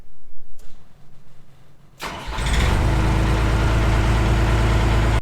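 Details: John Deere 250 skid steer diesel after adding Ford-type starter solenoid: brief crank, then fires and settles into a steady, even idle; starts cleanly.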